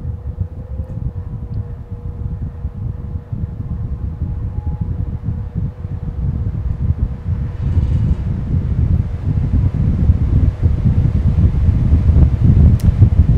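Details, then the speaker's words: Circa-1960s metal electric fan on high, its top speed setting: even, steady whoosh with a low motor hum building up, no squeak or rattle. Normal running on high speed. "Wow, that is going there now, isn't it? I don't think my son actually uses it on the high setting because I've never heard it go quite that hard."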